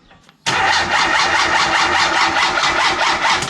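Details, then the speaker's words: Turbo Mazda Miata with newly installed MegaSquirt and base map: starter cranks with steady rapid chug, about five beats a second, but never fires; no spark, unresolved after replacing cam angle sensor, igniter, coils and plugs. "he's in the process of I don't know finishing his dribble like setup but the only problem he has it's not getting any spark and he wasn't gettin spark'd before we threw the mega squirt"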